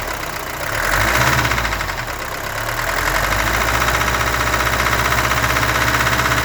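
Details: Mercedes-Benz W123 200D diesel at steady idle with a constant knock of roughly four per second, always present though the car runs fine; owner suspects glow plugs or possibly cam, crankshaft or rod bearings, unconfirmed.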